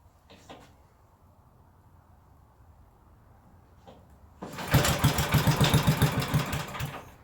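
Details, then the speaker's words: 1974 Briggs & Stratton 8hp 190402 engine on choke, throttle controlled at carburetor: brief choked run of about three and a half pops per second that shakes and dies; owner suspects it ran out of gas. "I might be out of gas, guys. Let me run a little gas up in it. I probably ran it out."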